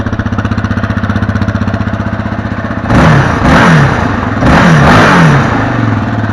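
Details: 2019 Yamaha Raptor 700, stock single exhaust before Barker's dual exhaust install: even single-cylinder thumping idle, then a few sharp throttle blips that rise and settle cleanly; normal idle.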